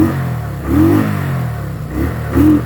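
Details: 2019 Kawasaki Vulcan Classic LT V-twin after a spark plug change for acceleration issues. Two quick blips rise cleanly from idle and drop straight back with no bog or hesitation.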